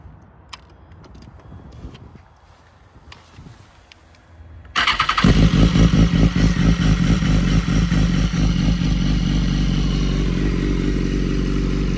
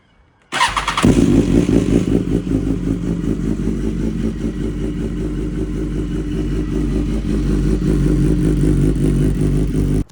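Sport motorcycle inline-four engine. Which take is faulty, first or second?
second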